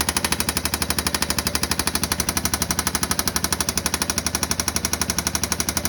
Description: 2016 Yamaha Viking EPS engine knocking.